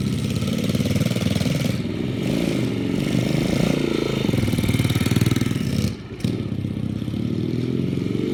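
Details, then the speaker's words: 2005 United Motors DTF150 dirt bike after its first rebuild in 13 years, riding off in gear after first start: single-cylinder thumping rising and falling evenly with throttle, no knocks or rattles; normal running. "Alright guys, here we go. We're in gear, and we're moving."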